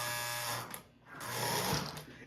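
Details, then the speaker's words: Lionel 671 toy train locomotive powered up after 15 to 25 years in storage: small motor whines in short uneven bursts, cutting out and restarting, with an E unit click. Sluggish; owner suspects old gummed-up grease and oil. "It looks like it just need to be moved around a little bit. It sounds like it's gummed up."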